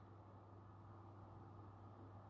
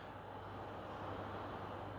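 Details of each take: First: PlayStation 5 Pro CFI 70 first revision, redesigned fan with higher duty cycle: quiet, steady low hum with faint even tone, no rattle or grinding; normal, acceptable fan noise. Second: PS5 Pro (CFI 70) fitted with a Foxconn fan taken from a PS5 Slim, in game; the Pro's different duty cycles spin it much faster than in the Slim, giving a steady loud airy whoosh over a low hum, too loud for the Pro.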